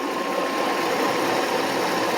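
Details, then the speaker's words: 1993 Mercedes 500E V8 barn find, after throttle repair and new lower harness, cold weather: even, steady idle with no squeal, whine or ticking; the earlier alternator sound and smell, thought to be a short to ground, are gone. "Yeah, I don't hear that sound from the alternator. And I don't smell it anymore."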